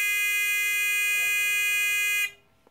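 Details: TX-2003 generic pinpointer after sensitivity potentiometer tweaked clockwise: steady high-pitched tone holds about two seconds then cuts off cleanly, sounding on target normally with detection range increased.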